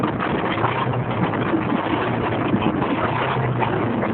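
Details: 1987 Mazda 929 LX, 2.2 L inline-four with two-barrel carburetor, no catalytic converter: rough running with uneven puffing and popping chuff from a bad exhaust leak before the first muffler, causing backfire.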